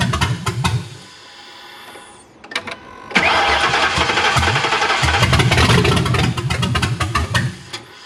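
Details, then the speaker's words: 2009 Ford Crown Vic with 7.3L Godzilla swap, MAF sensor connected, O2 sensors unplugged, no exhaust fitted: cranks, catches with a rough uneven burble, then sags and dies. Won't hold idle; cause suspected, not confirmed. "That's interesting. With the MAF sensor, it doesn't even want to stay running."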